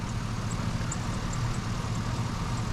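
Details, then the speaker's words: 2005 GMC Sierra, well maintained, with a new exhaust: steady, even low rumble at idle with no knocks or misses, though a slight belt chirp is heard and the owner thinks it may need a belt; normal idle. "you hear that sounds really nice I think it may need a belt I hear a little chir from the belt but this thing runs like a dream"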